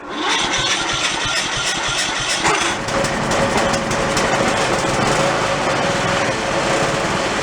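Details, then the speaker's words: Toro riding mower engine, reassembled after engine failure with half the crankshaft missing, started on choke: harsh raspy uneven beat with heavy clatter; rough running but stayed together. "She sounded a little raspy, but it stayed together. I was surprised. I thought she was just going to grenade fairly quickly."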